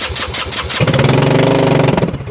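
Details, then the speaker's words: 2021 Kandi Batman go-kart buggy: cranking chuffs, then it catches and revs unevenly for about a second and dies; it needs lots of starting fluid and was a little cold-blooded, and a faulty electric choke is suspected. "That's sort of, he keeps having to use a lot of starting fluid to get it to go. Yeah. It wasn't like that when I first picked it up. I mean, it was a little cold-blooded, but..."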